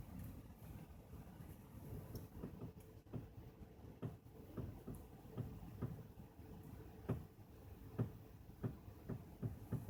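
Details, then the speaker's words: 2010 Toyota Corolla Matrix, parked, after a sideswipe accident repair: irregular dull pops and creaks from both sides equally as the steering is turned tight at full lock, controllable by wheel angle; steering creak and pop, no leaking boots seen. "tight turns uh you get some creaking at both ends it's not coming from one tire specifically or one side of the car side on both sides um sounds about the same"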